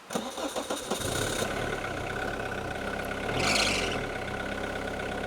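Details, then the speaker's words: Abandoned 30-year-old Peugeot 106 on a road trip, cut out after about 10 seconds of driving: starter churns in quick bursts before the engine catches and settles into an uneven idle; stall and restart. "We continued on our route for 10 seconds. What happened? Uh, just cut"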